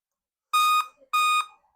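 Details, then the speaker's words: Dell Inspiron 15 3542 (Wistron Cedar 13269-1 FX3MC) with memory installed, display and adapter connected; laptop is on but gives two long, even beeps about half a second apart; power-on code, likely memory fault, then Kingston memory fitted. "why the laptop is beeping but the laptop is on"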